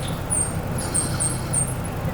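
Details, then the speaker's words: Kei truck (Suzuki Carry) fitted with a Chevy single-wire alternator that won't charge: short high chirping squeaks several times a second over low engine rumble; alternator squeaks, to be returned. "This one, I don't know if something's wrong with it or what, but it will not charge either. So, having issues out of that, I'm just going to return it and send this one off to get rebuilt. You can hear it squeak a little bit."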